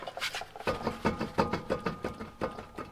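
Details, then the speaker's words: Worn driver-side front wheel bearing on a 2004 Toyota Corolla S near 300,000 miles: rhythmic clunks about three a second as the tire is pushed by hand with the lugs tight. It is getting worse and now hums while driving. "well that's just getting worse and worse and it's starting to hum as I go down the road so that's definitely got to be fixed"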